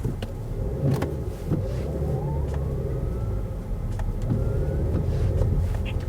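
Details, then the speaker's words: Old BMW X5 in reverse: engine steady while a faint siren-like whine rises in pitch as it reverses; bearing-like noise, gearbox bearing suspected but unconfirmed, said to be common on these with no BMW fix. "it's almost like a police siren that's what it sounds like"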